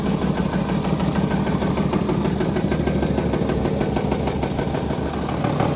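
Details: Jaguar engine (labelled FJ) at steady idle: a quick, even knock of about three beats a second over the engine note. The engine is knocking at idle.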